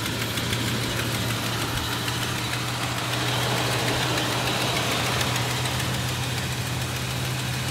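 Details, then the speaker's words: 1971 Dodge Coronet Custom sedan, 383 big-block V8, old battery, smelling of old gas, started without pumping the pedal: fires right up and settles into a steady, even lope with no misses or knocks, smooth low rumble; normal idle. "i did pull it back in the driveway so you can hear it's just fired right up let's have a look but it's running good"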